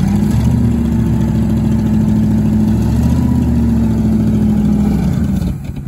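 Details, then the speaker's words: 1967 Ford Thunderbird, 390 FE big-block V8, C6, sitting an estimated 20–30 years, first running: steady low drone wavering and sagging as it struggles to stay running, smoking; carburetor needs adjusting, owner suspects too much ignition timing; rough idle. "She's smoking some stuff off. It's hard to keep it running. It's not happy at idle."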